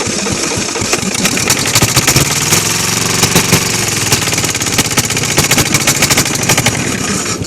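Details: Kohler KD425-2 diesel in freezing cold: a harsh, rapid, uneven, loud clatter, the engine barely hanging on. Fuel starvation from lost prime; the owner suspects an air leak, and a fuel hose is cracking.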